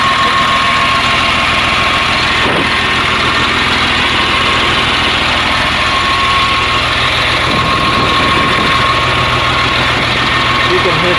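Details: CAT 950H wheel loader diesel, error code 36 for number one injector open circuit: loud idle with an uneven, lumpy beat instead of a smooth even rhythm. One cylinder dropping out from the dead injector, so low power.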